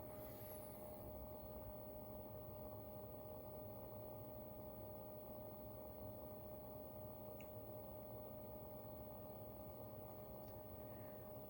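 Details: Barrow SPB17 DDC pump at lowest setting, case open, mic about 30 cm away: faint steady low hum, constant pitch, no rattle or grinding; normal quiet operation.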